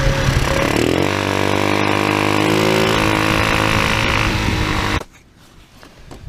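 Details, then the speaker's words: TaoTao scooter fitted with a cone air filter instead of the stock airbox: raspy, hollow buzz climbing with revs then cutting off, intake far louder, sounding like a bad exhaust; stock filter refitted. "I didn't really like the way that sound it it just sounds like it's got a bad exhaust with this thing"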